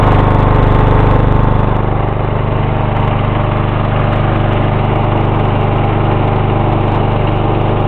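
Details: 1994 Lawn Boy with 2.5 hp Briggs & Stratton engine, cold start after sitting about a week: fires and holds a steady, even putter with no misses, knocks or hunting; running healthy from cold.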